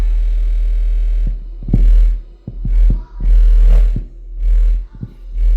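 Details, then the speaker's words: Polk Audio PSW10 subwoofer class-D plate amp fed a 60 Hz test tone: deep low tone breaks into irregular crackles and pops as the volume potentiometer is turned, scratchy volume pot. "you should be able to definitely hear the crackling sound now"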